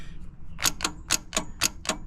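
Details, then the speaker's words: 1963 Plymouth Belvedere sitting since 1978, starter triggered with booster pack and remote button: sharp clicks about four per second, no cranking; corroded battery terminals. "that's not good. Sounds like we're having some starter problems here, guys."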